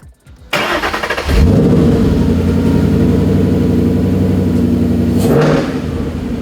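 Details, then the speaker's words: 2012 Mustang GT V8 just after a Flowmaster Delta Force cold air intake install; cranks, catches and settles into a steady deep burble with a slightly louder intake hiss from the open filter, then eases back; normal start and rev. "Yeah, the open filter, we can definitely hear it a little bit more."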